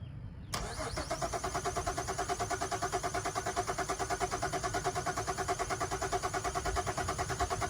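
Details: 2011 Chevrolet Traverse that died after a detail shop visit, having earlier run over a road object: even starter cranking about three turns a second, never fires; crank no start, cause not yet confirmed.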